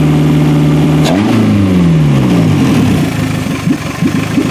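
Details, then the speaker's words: Toyota Camry wagon (1991-1996) engine running on a homemade standalone wiring harness, harness still untested. Note climbs smoothly when the throttle opens, then falls back to a steady idle with no misses or knocks: healthy. "as far as I can tell this thing's running good well it's running good and I'm pretty happy about that"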